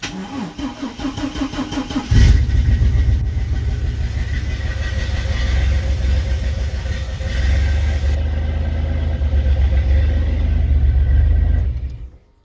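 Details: Bagged Chevrolet S10 after replacing a faulty fuel pump relay that caused a fuel priming issue: brief pump buzz on key-on, then the engine fires almost instantly and settles into a steady, even idle; healthy quick start.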